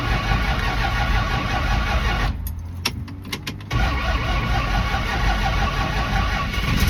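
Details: 1974 Dodge Dart V8, warm and driven minutes earlier, hard to restart after fueling with pedal pumping: runs rough, drops into clicks and near silence, then catches after several tries and settles.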